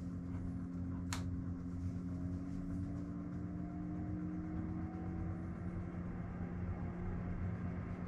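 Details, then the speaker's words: Webasto Thermo Pro 90 diesel water heater on Garcia Exploration 45 sailing yacht, central fan unit switched to auto, heard from the saloon: steady fan hum whose pitch slowly rises as the blower speeds up; normal. "so maybe maybe you heard that folks as the the the fan unit for the central three outlets that fan unit sped up and there's just a slight change a change in the pitch of the fan"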